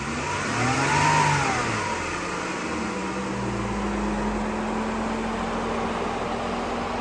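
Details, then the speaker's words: 2017 Jeep Wrangler Rubicon 3.6 L V6, five-speed automatic, 87k miles, on a 107-108°F day: starts and revs once, pitch climbing then settling into a steady even idle with no knocks or ticks; normal. "3.6 Liter V6 I'll start it up so you can hear it"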